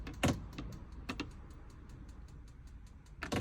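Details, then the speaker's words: Globevan Campscout campervan fridge being lit on gas by holding the ignition switch: quick, regular ticking at about four to five a second under some handling bumps, the igniter sparking as it should. "So if I go all the way down to the bottom, all I then have to do is press on the ignition switch, which means you can hear the igniter then, and press in on this at the same time."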